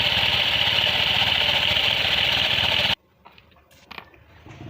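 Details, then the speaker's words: Honda Scoopy at 30–50 km/h: harsh, gritty whirring with pulsing rumble and jerky feel from the rear CVT, V-belt wobbling; loss of power traced to a dry, ungreased clutch bearing. "Pada kecepatan 30 hingga 50 km/jam, Anda akan merasakan sensasi tersendat-sendat. Dan terdengar sangat kasar di area CVT belakang."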